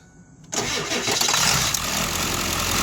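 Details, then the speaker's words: 2001 Ford F350 7.3L diesel that stumbled on the freeway, right after replacing the camshaft position sensor (F7TZ-12K073-B): short crank, then it catches at once and settles into a steady, even idle with no stumble. Normal start. "So if it doesn't start, it's not working. So you know it's working because, well, it starts."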